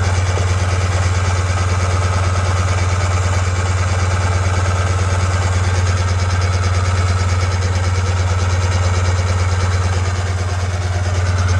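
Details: 2000 Sea-Doo GTX 787cc RFI two-stroke hydrolocked by leaking inner crank seals, fuel/oil in cylinders: steady heavy cranking about three beats a second, no firing, pushing fuel out through hoses in the plug holes.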